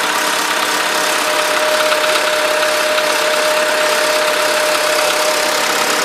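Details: VW Polo sedan, 13,000 km mileage, at idle: a light, even valve-like ticking of about two per second over a thin buzzy idle, which started right after the first scheduled service (TO-1); source not pinned down.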